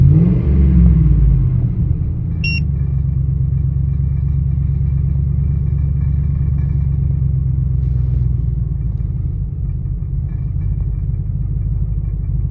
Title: 2000 Expedition: Rough Idle - Help!